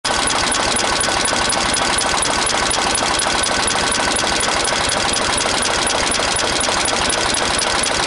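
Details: Renault N70 tractor diesel; steady clatter with a sharp, fairly regular tick about twice a second; engine knocking, cause unknown.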